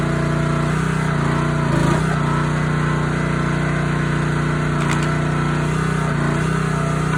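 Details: Honda GX160 on a SplitFire wood splitter after carb cleaning and oil change for bogging and stalling when splitting, test-splitting wood: steady, even drone with only brief slight dips under load, recovering at once; runs healthy, no longer bogging.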